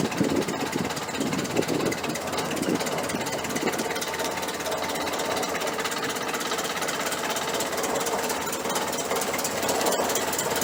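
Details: 1968 Chrysler 300 with a 440 V8 and a replacement used carburetor, after a loose spark plug wire was reconnected. It idles with a loud, busy exhaust note and no clear missing beat. It runs better now on all 8 cylinders: normal idle.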